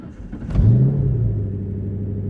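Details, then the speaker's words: Drift car, manual, in neutral at startup: engine catches, flares, then holds fast idle around 1400–1500 rpm instead of 800, even when warm; suspected clogged idle air control valve. "and you can see the engine rpms are about 14 to 1500 rpms and that is way too high"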